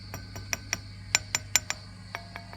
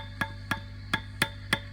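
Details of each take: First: Old Fender Princeton Reverb brought in for squealing and feedback, tapping preamp one and two and valve three with the volume down: light glassy taps about every fifth of a second over a steady low hum, no ringing or howl, so no tube microphonics. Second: Old Fender Princeton Reverb with a squealing and feedback complaint, back off, tubes tapped lightly with a toothbrush; each tap comes through the speaker as a sharp ringing knock over the hum, even at volume zero, showing a microphonic preamp tube.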